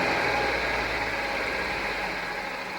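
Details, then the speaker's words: 2007 Jeep Wrangler Rubicon Unlimited 3.8 V6 after replacing cylinder 2 coil pack for P0302 misfire: even, steady idle with no stumble or skipped pulses; misfire gone, fuel trim still high. "okay already I can tell this is different this is better the Mist is gone the dead"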